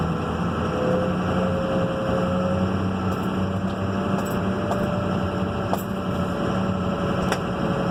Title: Turbo whine